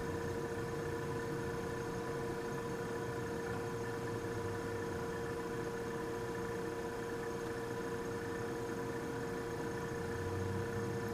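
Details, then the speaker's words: Vintage Westinghouse fridge compressor started with clip leads on the run and start terminals: a steady, even hum with a clean mid tone and no knocking, drawing 2.4 amps against a 3.2-amp nameplate rating in a cold room; running normally. "so unrehearsed this is a start attempt 2.4 amps and she's running"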